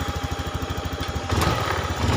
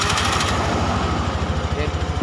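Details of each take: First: Fuel-injected motorcycle that misfires when hot and lacks power on hills, fuel pressure normal 42–44 PSI: single-cylinder idle thumps evenly, revs build late and sluggishly; fuel filter to be replaced, broken wire also implicated. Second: Fuel-injected single-cylinder motorcycle that stutters when hot and lacks power uphill (cause: a broken wire), fuel pump pressure checked normal: an even putter at a steady 1500–1600 rpm idle with no misses or knocks; before the TPS adjustment.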